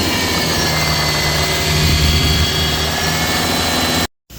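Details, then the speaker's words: Mitsubishi Montero Gen 3, 4N15 diesel running: a loud steady hum and roar with faint ticking. It began as a ticking that grew louder after an earlier repair. The turbo was first suspected. The belt and tensioner bearing were newly replaced, but the noise stayed. Cause: alternator. "Check natin yung mga bearing niya tsaka pulley sa alternator mga paps, kasi ito bagong palit ng belt tsaka tensioner bearing."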